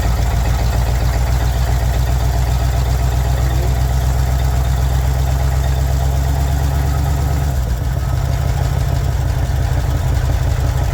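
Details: 1961 Chevy Impala four-door V8, sat 20 years, running on a boat fuel tank: deep, steady idle with an even low rumble, no stumbling or knocking; normal idle, though it still needs a generator or alternator.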